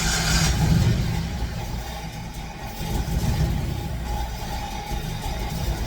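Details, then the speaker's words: Fox Body Mustang ("Black Widow"), long-sitting, now running steadily with smooth revs, no misses; smoke clearing, owner suspects bad gas had sat in the fuel rails; later warmed up to temperature. "all right she's running smoke seems to be correcting itself I think I had a lot of bad gas sitting in the rails maybe"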